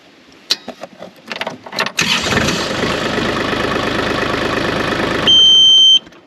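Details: Kubota L2502 tractor, under 2 hours, no-start fixed at the PTO safety switch: brief cranking, then the diesel catches into a steady rattling idle with a beep; starts normally.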